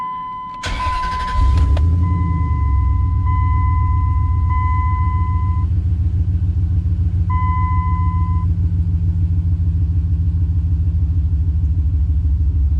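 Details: 2003 Dodge Ram 1500 4.7 V8 just after installing new Autosaver ignition coil packs: quick crank and catch, then a steady, even low idle rumble with no misfire or stumble; normal idle.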